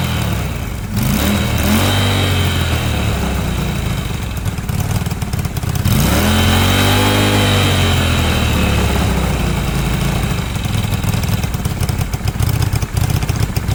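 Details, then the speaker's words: Cheap small single-cylinder Yamaha motorbike after carburettor and fuel lines were stripped and cleaned, air filter not properly connected: idles unevenly on its own with a couple of throttle blips; owner suspects idle adjustment or air filter. "maybe have a little look at the idle adjustment because it didn't sound like it was running brilliantly but it might run a bit better once the air filter is connected up"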